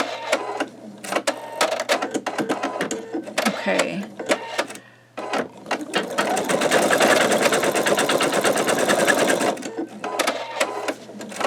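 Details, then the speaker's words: Embroidery machine stitching with a 10.2 x 8 inch MagnaHoop magnetic hoop: fast steady stitching chatter with faint popping; owner unsure if stabilizer not tight enough or just the stitching. "so this little portion while it is stitching out you can kind of hear it popping a little bit and I don't know if maybe because that's cuz the stabilizer is not tight enough or it's just the stitching"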